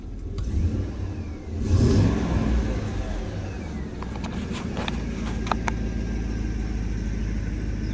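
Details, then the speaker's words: Federal Chevy Tahoe V8 after the exhaust was retightened: revs up and settles into a deep, steady idle with no ticking or puffing, the exhaust leak gone and the truck being readied for emissions. "Now leak's gone. That is fantastic news."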